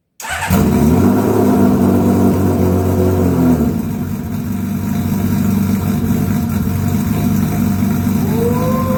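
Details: 1982 Honda CBX 1000 six-cylinder, first start after carb repair: four of six float-bowl overflow tubes were cracked or pinholed, fixed and bench-tested leak-free, carbs already holding fuel. Catches quickly, revs briefly, then settles into a smooth, even idle with no misfire or rattle; healthy.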